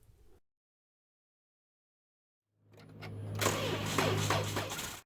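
After a silent gap, the starter turns over sluggishly for about two seconds in a steady, labouring drone: a weak battery dragging the crank.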